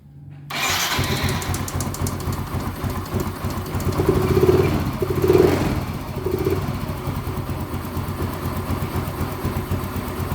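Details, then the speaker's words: Yamaha Mio M3 125 scooter after new spark plug and second part replacement, fuel pressure reaching standard 40 psi (was 30), idle screw untouched: catches within a second and settles into even steady idle; normal start and idle. "ini kondisi motor mau stasioner nih ya padahal ini belum saya buka ya di seten angin atau di bagian yang ininya belum saya apa-apain"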